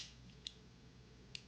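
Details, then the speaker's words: New Taurus 66 Combat .357 Magnum revolver, action cycled by hand. Two sharp clicks about a second apart as each chamber snaps into its notch. Normal cylinder lockup, timing properly; one other chamber is starting to go out of time. "You can hear what it's actually supposed to sound like when it's cycling. Notch. Notch. Notch. Notch."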